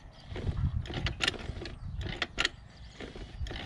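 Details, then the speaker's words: Tuned, ported scooter turned slowly on the kickstarter: ratchety clicks and soft airy puffs with almost no compression, hissing into the carburettor and exhaust from leaking valve seats. "Jakby w ogóle kompresji nie było. No jest, wszystko jest wina właśnie tych gniazd zaworowych. No przepuszczają, bo słychać, że syczy w gaźnik i syczy w wydech, nie?"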